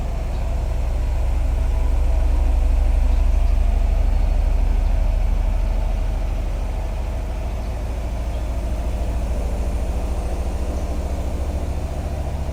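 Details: Bosch WAT2846SIN 8 kg washing machine on spin at maximum noise level of about 74 dB: deep, even drone with a soft rhythmic thump about 3.5 per second that swells then settles; normal spin cycle.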